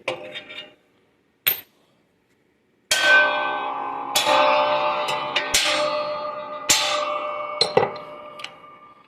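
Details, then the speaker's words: Dana differential pinion bearing being pressed onto the pinion, applied evenly with no shim: sharp metallic pings ringing and slowly dying away as it seats under light pressure; ringing is normal, a good sound. "it's actually a good sound and you should barely see I'm barely pushing on this thing now I hear that noise when it does that there's a little trick"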